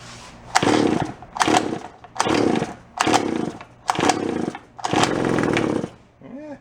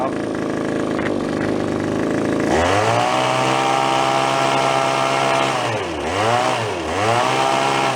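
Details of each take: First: Japanese-made, landscaper-grade small engine found at a garage sale; the owner suspects the carburetor diaphragm has stiffened from ethanol fuel. Six short bursts of about a second each: it pops and catches briefly on each attempt, then dies. Hard starting after sitting. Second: Small Japanese-made landscaper-grade two-stroke yard-sale find, carburetor diaphragm suspected stiff, started unexpectedly: idles, then revs cleanly with quick blips up and down and returns without stumbling; running normally.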